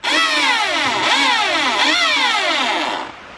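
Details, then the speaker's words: Weed eater with a high buzzy two-stroke whine that surges up and down unevenly several times, then cuts out. It is running rough and the owner says he blew the motor; considered done. "Yeah, this thing doesn't sound right. We're not having the best luck."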